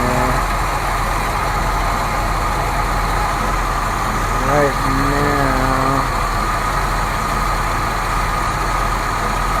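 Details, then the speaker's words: 1970 Buick Riviera 455 V8 at first start after revival, charging at 14.3 V: rough, uneven, lumpy chugging idle with no steady beat. It is starving for fuel and needs a fuel pump. "we need fuel pump - I was wondering why it's chugging why is it chugging because it has no fuel"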